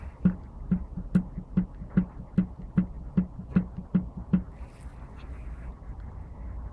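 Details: Yamaha TTR-125 engine with sharp, regular knocks about two and a half per second over a quiet low engine note, then fading; owner suspects a crankshaft knock, unsure if normal.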